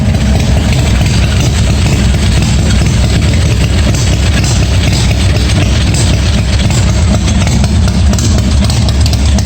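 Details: 1986 Harley-Davidson Softail first start, no air cleaner, no choke, bad wiring yet charging: deep loping V-twin idle holding steady without stumbling or stalling; engine running fine, not bad sounding, worthwhile project.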